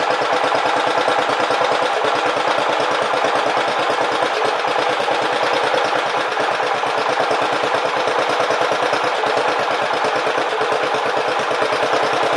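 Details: Briggs and Stratton Power Built 12.5 HP flathead Model 28 mower engine, first start after full rebuild, 10W-30 break-in oil, before carburetor adjustment: steady, fast single-cylinder putter with even beat, no misses or knocks; normal running.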